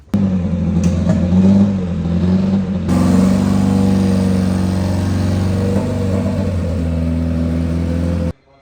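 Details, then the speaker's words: Honda S2000: lumpy uneven stumbling exhaust note, misfire; cylinder 4 found wet and smelling of fuel, new coils already fitted, injectors suspected. "S2000 it feels like it has a misfire so need to I'm going to check it all out and see if we can't find a problem"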